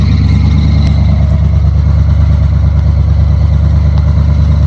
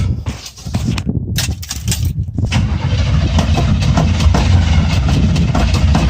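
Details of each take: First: Chevrolet Scottsdale truck after new engine parts, distributor-area ticking now gone: a smooth, even idle sitting a bit high with faint squeaks from new belts in the background; running healthy. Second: Chevrolet Scottsdale small-block V8 after new ignition parts, not started for a few weeks, choke off; even rapid cranking at about three and a half turns a second with no firing: crank no start.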